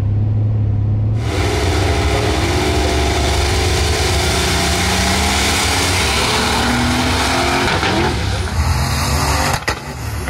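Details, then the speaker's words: Supercharged V8 drag car on a spicy tune at full throttle down the track, faster run, then a sharp pop as power cuts near the shift: major backfire, tuning issue suspected. "oh right definitely faster down track but we had a major we had a major backfire unbelievable"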